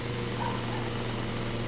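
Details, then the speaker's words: 2012 Hyundai Solaris automatic, 108,000 km, previously misfiring, losing revs and smelling of fuel, after replacing ignition coil and spark plugs: steady even idle hum, no misfire, no check-engine light or errors, no fuel smell from exhaust; normal idle. "ну покрайней мере чек не выскакивает провала нет ошибки нет и работает устойчиво и перестала вонять бензином из выхлопной трубы когда газовал сильного него"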